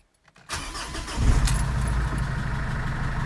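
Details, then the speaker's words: Jeep Liberty 2.8L CRD diesel after Carter in-tank lift pump install to cure air in fuel, lines primed, only a couple of gallons in tank: brief crank, catches within a second and settles into a steady low idle; clean start. "And she fires right up. I don't have very much fuel in it right now, only a couple of gallons, but it is registering that we got some fuel in it. Running pretty good, actually. Started right up."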